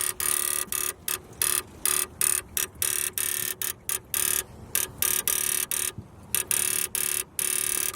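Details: Subaru WRX, engine off with key in the ignition, on a freezing day after rain: a harsh electrical buzz and clicking chops on and off in quick irregular bursts. A similar noise came when the car broke down before.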